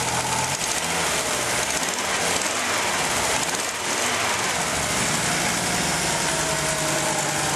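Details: 1987 Audi 4000S with the KX five-cylinder engine at startup idle. A light fast intermittent tick rides over the hum, suspected to be a lifter; the oil level is fine and the rest of the engine runs well.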